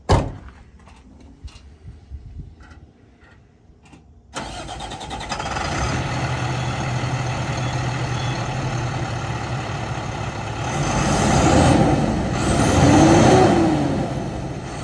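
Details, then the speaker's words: 2005 International 4300 Miller 614 tow truck wrecker, about 8,435 engine hours, said mechanically sound; quiet cranking for about four seconds, then catches and settles into a steady, even diesel idle with no knocks; normal start and idle. "But we'll go ahead and start her up. Sounds great."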